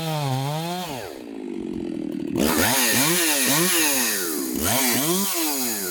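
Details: Chainsaw with an apparent mild port job, test cuts after bench repair and retune: high two-stroke scream sags in pitch as it bites into each cut and snaps straight back; may need fine tuning; normal running under load.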